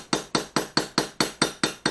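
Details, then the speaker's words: Tapping out (ura-dashi) the back of a Japanese plane blade with the lightest hammer: nine slow, gentle, evenly spaced taps, about four a second, each a short dull knock without ringing. Correct light pecking that won't crack the blade. "천천히 여러번 반복적으로 쳐 주시고 땅땅땅 소리나게 7시면 안되고요 퍽퍽 찍어 주신다 는 생각으로 수시 합니다"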